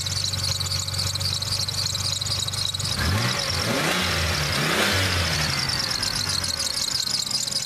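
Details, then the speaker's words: 1993 Ford Taurus, just bought, idling and revving: quick high chirps repeat over the idle and speed up with revs; belt chirp, owner suspects the tensioner, the idler or both. "good though might be a tensioner pulling either the tensioner or the eyler or both are chirping don't really care those are easy things"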